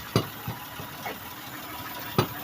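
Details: Toyota Sienna, quiet idle broken by a few dull knocks, two sharp thumps about two seconds apart from underneath; knocking persisted after both sway bar links were replaced; owner thinks he narrowed down the source but cause unconfirmed.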